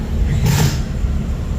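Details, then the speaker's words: Mazda RX8 swapped to a 13B REW rotary on a Haltech base map, first fire-up: steady, even low rumble with no misses or knocks, smooth idle around 1,100 rpm with good oil pressure a couple of minutes after start. "Okay, so within just a couple of minutes, got this thing idling around 1,100 revs. Oil [Music] pressure that sounds very, very smooth."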